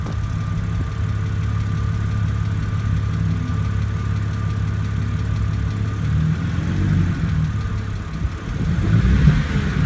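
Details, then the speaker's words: BMW N52 engine, 118,500 miles, oil changed 200 miles earlier: cold start idle with a faint, quick lifter tick over the engine hum; owner believes not oil-related, suspects engine likes being revved, cause unconfirmed. "however I just started my engine when it's cold and I'm getting a tick so I don't think it's from the changing the oil and as you can hear it is ticking"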